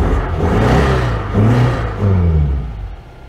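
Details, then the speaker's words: 1992 Oltcit petrol engine, fuel pump confirmed working: catches with short revving bursts on petrol poured in, then sags and fades; owner suspects a blockage in the carburettor. "yeah she's just not drawing the fuel through for some reason so the pump is working you have to wonder whether there's some sort of blockage in the carburetor itself"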